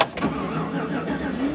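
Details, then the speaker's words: Chevy truck with complaint of running rich and hard starting, very cold morning: catches after cranking and stumbles into rough, uneven idle; hard start from false flex-fuel alcohol reading. "oh come on chevy you can start maybe she doesn't want to start i don't really want to give it gas because it's so cold"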